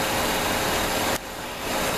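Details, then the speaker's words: 2001 Buick LeSabre V6 with a stored misfire code, plug wires pulled earlier. Uneven, loping idle with a hollow hiss and a sudden drop in level; a vacuum leak is suspected but unconfirmed, and it seemed to improve as it revved slightly. Rough idle. "it's running otherwise I can feel it sort of sails me like has got a vacuum leak pretty bad or something's up with it"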